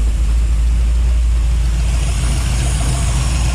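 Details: 1955 Chevy V8 with headers at idle, with a light, even clack about three times a second low on the block. Owner ruled out the rocker arms and suspects the used fuel pump pushrod he installed. Fuel pump pushrod clacking.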